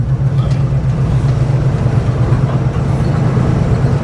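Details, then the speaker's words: Old "Hack Job" truck after an upgrade, under way with the choke still needing to open; steady, even low rumble with no knocks, skips or rattles; engine sounds good, charging, has oil pressure, a little peppy. "We are moving. Engine sounds good. It's charging. Got oil pressures. A little peppy."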